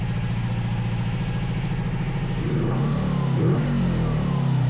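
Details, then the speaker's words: 500cc twin-cylinder buggy engine after fixing a dead cylinder and synchronizing the carburetors with a SyncPro tool: even low pulsing beat that smooths and rises as the throttle opens; both cylinders firing evenly, healthy running. "sounds good. It sounds good. I think we should leave it there."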